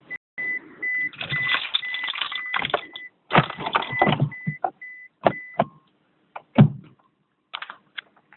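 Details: 2004 Toyota Prius (second generation) won't go to READY, gear LEDs blinking: repeated high chirping warning beeps between relay clicks, no engine or motor spinning up; hybrid will not go to READY, warning beeps.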